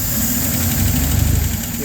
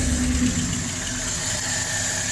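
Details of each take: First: Hot LaSalle engine with choke closed a little: steady, even low idle with smooth rumble, no stumble or hunting, anti-percolation rods no longer moving up and down; runs cleanly with partial choke. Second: Cold LaSalle engine with choke opened: flat, steady exhaust drone that won't rise or sharpen as throttle is added, bogging with no power; anti-percolation rods moving up and down, idles fine and runs well on choke; fuel starvation suspected.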